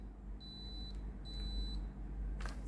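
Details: Philips GC7703 steam iron after replacing the water pump, clean button held 5 seconds; two evenly spaced half-second high beeps then a handling knock, normal clean-cycle start beep before the pump delivers water.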